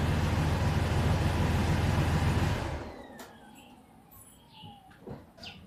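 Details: Mercedes W163 engine before the repair: rough, lumpy idle from a misfire on two cylinders, then the engine shuts off into near silence.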